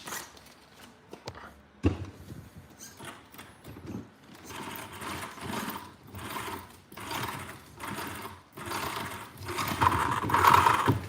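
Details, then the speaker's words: An RC car drivetrain after repair: short bursts of smooth, even whirring as the motor spins up and down, with no clicking or grinding; gears mesh cleanly and it sounds much better than before. "That sounds much better."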